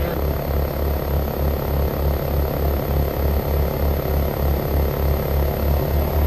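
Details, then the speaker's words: Frigidaire Gallery GHWQ103WC1 10,000 BTU dual inverter air conditioner, rescued from trash, ramping up at 66° ambient with 54–55° outlet air: steady low hum with soft even pulsing from compressor and condenser fan, no rattles; healthy. "should hear the compressor start ramping up here along with the cond that's your fan"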